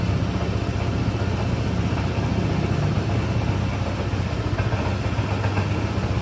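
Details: Honda ADV 160 scooter just after engine oil change (about 800 ml), running a few minutes before rechecking dipstick: steady low putter at idle, even beat, nothing knocking or rattling; idling normally.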